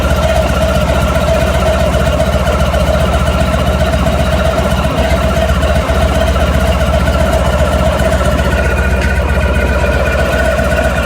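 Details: Honda ST1100 motorcycle engine idling with a loose, uneven rattle over it, revving slightly near the end: engine rattle at idle.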